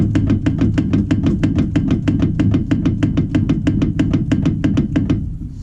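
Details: Carbureted Sens: sharp, fairly regular clicking knocks about three a second while the car is rocked; felt somewhere above the wheel, not the lower ball joint; suspected coil spring seating: front suspension clunk.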